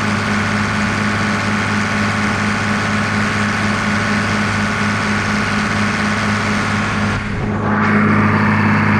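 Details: Diesel tractor after resealing a leaking rubber O-ring bushing on a tube: a steady idle with an even low beat and a hum around four hundred a minute, no hiss or puffing. It runs clean.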